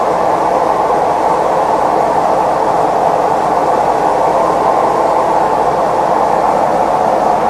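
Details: Maytag Neptune MAH19 washer ramping up to max extract spin: loud, steady rushing roar from bad drum bearings, made worse by an unlevel machine whose feet are stuck.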